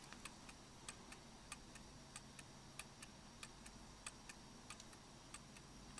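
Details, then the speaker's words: German mantle clock movement after beat adjustment with a screwdriver, heard through a beat amplifier: crisp, evenly spaced ticks about three a second with no limping rhythm; running smoothly in beat. "working smoothly"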